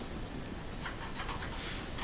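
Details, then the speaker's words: Older Maytag gas stove, back right burner: sharp igniter clicks a few per second with a good spark but no flame catching after clearing the tubes; a slight gas smell, suspected clogged burner tube or air-fuel sleeve setting. "so i cleared them out and i'm trying it again but i don't get a response still get the click but no lighting"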